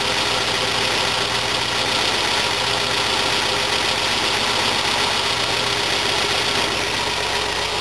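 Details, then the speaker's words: Old fuel-injected Volvo with a manual gearbox, just started: a steady, even idle with a loud fuel pump whine on top, no misses or knocks. It started quickly and sounds like it has compression on all cylinders. "Yeah, it still runs. Started pretty quick, it still sounds like it's got compression on all cylinders."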